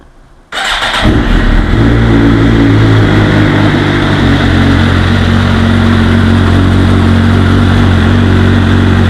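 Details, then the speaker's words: 2009 Suzuki GSX-R 750 started right after oil and filter change (2.2 L Repsol 10W-40 synthetic, K&N filter): cranks and catches at once, steady even idle without ticks, knocks or misses; checking for leaks. "Okay, so we're going to start it up, make sure there's no leaks, then we're going to check the oil levels and top off as needed."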